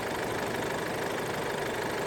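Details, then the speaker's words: 2007 Chevrolet Colorado 2.5 LS diesel, about 764,000 km, stock engine, EGR never blocked: even, steady idle clatter with no misses, knocks or surging; no blow-by; normal idle. "นี้ผมสตาร์ทเครื่องอยู่นะครับนี่เครื่องเงียบจิ๊บเลยครับ"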